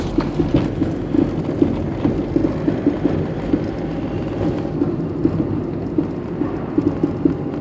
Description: Knocking noise from a worn anti roll bar link 2005 citroen berlingo van.